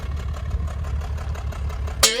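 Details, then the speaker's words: 1990 Nissan 300ZX twin turbo V6 idles with an uneven, lumpy low rumble, a dead miss at idle, before a repair attempt (PTU replacement) aimed at fixing it. "and today we're gonna try to see if we could oh if we can fix this misfire that we've been having uh it's a dead miss"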